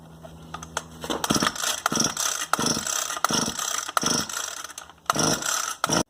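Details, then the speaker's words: Echo SRM-260 string trimmer that won't start, before carburetor, spark plug and fuel line kit replacement: about seven rapid ratchety recoil pulls with no cough or catch; cranks without firing. "Today's video, we're working on this Echo SRM-260 weed eater, and it just won't start."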